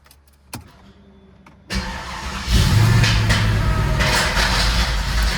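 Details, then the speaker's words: Mercedes E55 AMG, supercharged, fresh pulley, intakes, upgraded cooler and tune (about 700 hp): the engine cranks and catches, then a rough, disturbing mechanical clatter over the idle, source unknown at first. Abnormal startup noise from ingested debris. "Okay, we all really have no idea where this noise just came from. But it was very disturbing noise."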